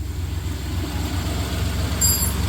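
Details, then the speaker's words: 1993 Dodge Caravan after a new belt tensioner, idler pulley and AC belt were fitted: smooth, even low idle rumble with no squeal or chirp from the belts; accessory drive quiet; normal idle. "Nice. Quiet as can be, and that tensioner rides a lot better."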